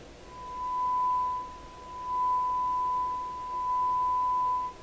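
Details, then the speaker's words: DeForest Crosley shortwave radio, final checks after minor repairs incl. 3V bias batteries swapped for 1.5V: signal-generator test tone at strong then moderate level, pure steady tone swelling with volume, no buzz, crackle or distortion. "no distortion on it excellent and this would be a moderate signal"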